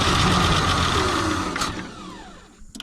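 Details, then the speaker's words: Ford Bronco II, fuel-injected 2.9, sat in a field since 2001, starting fluid used, injectors suspected gummed: steady high electric whine from the fuel pump that winds down and fades with a few clicks; fuel pump running. "yeah see the fuel pump kicked on well I don't know if it's running on fuel or this stuff right here"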